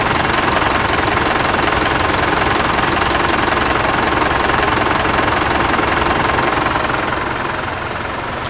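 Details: Loud, even diesel clatter at a steady idle, no misses or stumbles. Engine treated with a quieting fluid additive; decibel meter readings fluctuated around 79–82 and dropped to about 74–76 when no one was talking. Healthy-sounding idle.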